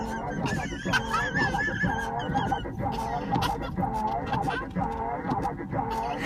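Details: Battered island rental mini-van: warbling high squeaks repeat roughly once a second with each wiper sweep, the blades chattering and squealing across the cracked windshield.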